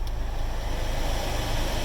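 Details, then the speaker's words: 2006 Honda Odyssey cabin blower fan at full speed with AC on, after replacing the dirty cabin air filter that caused a very loud noise: steady, even airflow rush, no rattle or whine; normal blower operation. "vamos a arrancar la una vez ya no me hace ruido porque este ruido era super escandaloso como ven"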